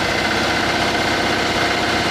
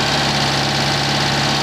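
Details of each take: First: Citroen 2CV after engine overhaul, 120 miles, valve clearances checked: a busy, even, healthy idle, quieter with no valvetrain tapping, just a hint of exhaust chop from a leak. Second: Citroen 2CV at idle after engine overhaul and 120 miles, microphone aimed at exhaust pipe clamp: loud hissy puffing chuff over low engine note, an exhaust blow at the clamp with soot marks.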